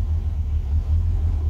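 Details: 1963 Falcon, turbo 2.3L, aftermarket throttle body and IAC: low, steady, even idle with no hunting or surging. Idle brought down successfully, though tuning remains touchy as IAC and throttle blade settings interact; owner considers a smaller throttle body.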